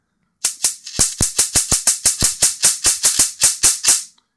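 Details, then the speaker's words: Mitsubishi Diamond Plus 93 SB CRT monitor, flyback with built-in capacitor tested in circuit. Loud, crisp snapping cracks at about four per second as a long arc, roughly 20–30 mm, jumps to ground. The flyback is producing healthy high voltage. "it's quite long that's like you're looking at 20 mil there it's definitely got a capacitor on the end of that"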